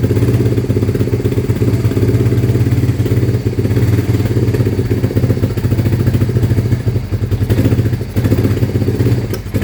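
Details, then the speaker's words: 1993 Honda Fourtrax 300 ATV with new battery, idle thought to be too low: rough lumpy single-cylinder idle with heavy clattering thumps each firing; it earlier ran about 10 minutes then quit, rod knock suspected. "And I heard a lot of rod knocking and stuff and we don't like that."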